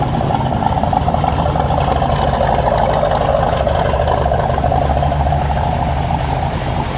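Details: 1973 Corvette big block V8 after a new mini starter was installed for heat soak: deep, steady, even lopey V8 burble with no knocks or grinding; normal idle.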